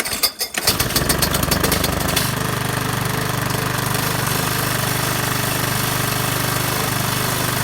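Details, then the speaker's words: Craftsman 21-inch mower with a Briggs & Stratton 550 series engine, running with no blade fitted, little gas and possibly overfilled oil that is smoking off. It catches after a few pulls, then idles low, chuffing and hunting. The governor seems OK; cause unconfirmed. "It doesn't seem like it has a very high idle. It doesn't have the blade on it."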